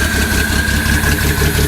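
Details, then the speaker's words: 1972 Datsun 240Z revived after sitting, new starter, first start after priming fuel: uneven low thumping idle with a thin whistle, as if cylinders missing; a little blowby, won't take throttle yet, rough running. "A little blowby. Not bad though. It doesn't let throttle yet."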